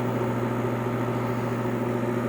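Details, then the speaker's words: 1966 Admiral Royal 106 air conditioner, restored and clean, thought low on refrigerant: steady low hum with even whir, no cycling; the fan motor is likely getting hot and humming, unusual for this normally quiet machine. "don't get the humming stop such a quiet running machine isn't one for that"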